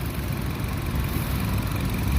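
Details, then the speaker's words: 2014 Nissan Evalia ST petrol engine idling, heard at the engine bay: low, even idle hum with no knocks, ticks or surging; engine sounds smooth and tidy, normal healthy idle. "Untuk bagian permesinannya seperti ini. Suaranya halus teman-teman. Suaranya masih apik, masih halus."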